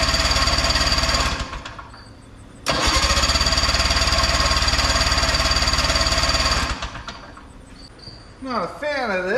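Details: Big Max 6x6 amphibious ATV with a 440cc two-stroke engine, revived after sitting, battery recharged: two long bursts of fast, even starter cranking, the engine spinning freely but never firing; cranks but won't start, before ether is tried.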